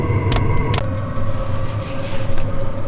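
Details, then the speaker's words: Chinese diesel heater in a truck camper during a Rocky Mountain blizzard at altitude, which the owner feared might upset the air-fuel ratio. After several tries, with the fuel pump clicking, it lights and settles into a steady mid-pitched hum over a low rumble. Normal running. "Looks like it's working. Oh, there we go. Looks like it's working."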